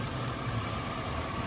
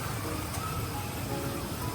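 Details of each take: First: Chevy Silverado 5.3 V8 with exhaust manifold leaks on both sides from broken bolts, front stud and rearmost stud broken: steady idle with faint fast ticking; exhaust manifold leak tick, before gasket and bolt replacement. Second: Chevy Silverado V8 idling after replacing exhaust manifold gaskets, bolts torqued to 18 ft-lb middle outward: smooth low rumble with the former manifold tick gone.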